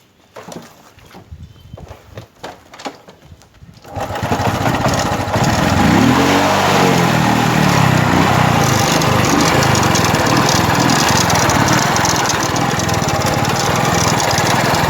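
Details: Honda Wave 110i motorcycle that is hard to start, with ECU codes being read: after some fumbling it catches and settles into a loud, busy, rapid clatter at idle. Loud engine noise, cause not yet pinned down.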